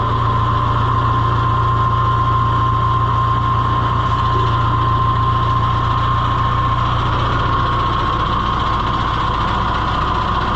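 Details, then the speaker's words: John Deere 2020 HU tractor at steady diesel idle, faint irregular knock and no normal pump clickety-clack as hydraulics nearly quit; owner suspects a half-sheared hydraulic pump drive (moon) key clicking. "And you can hear the pump is not going clickety-clack like it normally does. And that makes me wonder if maybe, like I said, it's half sheared the moon key off, and that little clicking you hear now is not the hydraulic pump as much as it is the key hitting itse"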